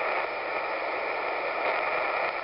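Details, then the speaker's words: Mobile HF radio receiver picking up an AC fan motor: steady, even hiss and buzz with no pulsing, the constant type of motor interference; motor interference in HF radio. "there is a trend in the industry to switch to brushless motors believe it or not this is being done to reduce rfi and increase mechanical life"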